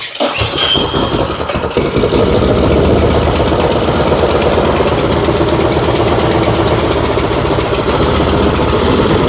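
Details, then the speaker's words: Troy-Bilt snowblower picked up from the dump, small single started on choke at slow speed, runs with a rough, lumpy burble, sounding rich and loading up. Owner suspects carburetor issues dumping in excess fuel, possibly gasoline in the crankcase. "It sounds like sounds like this is just getting a bunch of fuel dumped into it."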